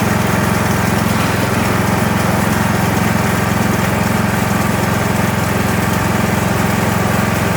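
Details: Kohler Courage 19 hp engine on an Ariens garden tractor after muffler repair (loose internal baffle fixed): smooth, even thrum at steady speed, no exhaust rattle or ticking; running healthy.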